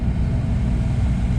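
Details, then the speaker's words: Chevrolet Camaro AC blower fan motor after being removed and checked for loud noise; at max speed it now runs with a steady even hum, no rattle, ticking or wobble. "nice to be able to just turn it up to max and not have any noise so that's it for today"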